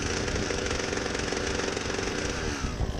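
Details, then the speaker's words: Husqvarna 122HD60 hedge trimmer: engine buzzes hard and steady but there is no crisp blade chatter and the cutters barely move. Blade friction was the first guess; the clutch is slipping on grease in the drum. "the blades do not want to spin very fast at all normally a person would think that there's a lot of friction a lot of resistance and that's why they're not moving"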